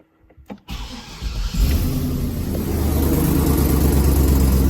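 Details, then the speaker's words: 2004 Chevy Silverado 6.0L gas V8 with 4L80E transmission, after flex plate replacement: cranks briefly, catches cleanly, settles into a steady even idle with no knock; slight tick from a bad exhaust manifold remains. "just my I got a bad exhaust manifold there's a new one that's that little tick but the flex plate sounds good so let's see if it works"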